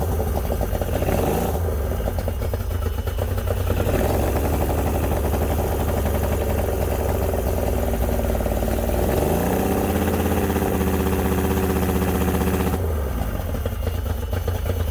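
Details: Yamaha 90hp three-cylinder two-stroke outboard on a 16ft bass boat, carbs cleaned twice, plugs and coils swapped: uneven, lumpy beat at idle and on a brief rev because #2 cylinder won't fire; cause unconfirmed.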